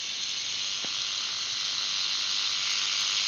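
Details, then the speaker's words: Brushless jigsaw running at full speed: high, even hissing whir with a fast light rattle, holding steady at top speed; normal full-speed running. "All right. There it is. That's full speed. I didn't see it do anything, but I heard it go faster."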